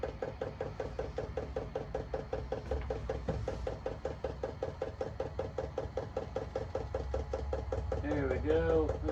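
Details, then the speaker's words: Vevor Chinese diesel heater priming: steady train of sharp clicks, about a couple per second, from the dosing fuel pump; normal clicking during priming. "hit that to get it to prime. The clicking noise is just one of the things of these heaters."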